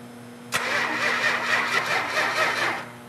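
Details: Rebuilt 400 Magnum V8, run test with fuel pump on: about two seconds of steady starter cranking with no catch or rev-up, then stops; cranks but does not fire yet.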